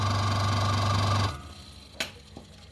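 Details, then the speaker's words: Aqua washing machine spin-dryer motor: loud low hum with an uneven rattle, running rough because its shaft is worn; it sometimes only hums without turning, then cuts off abruptly. "J suaranya kurang halus ya karena asnya dia udah tergerus ya"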